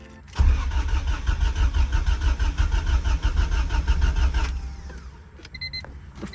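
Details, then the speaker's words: Honda EK hatch with swapped B20 engine and new Walbro 255 fuel pump, first start attempt: starter churns steadily about four seconds, then quiet; normal cranking. "all right let's try and start it"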